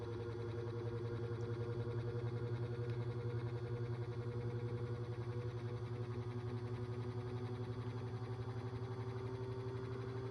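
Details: 2002 Cool Breeze 12-inch oscillating desk fan after 20 years of heavy use: low steady hum with thin wavering whine and even pulsing beat; bearings completely shot causing loud squealing, couldn't be oiled due to stripped screws.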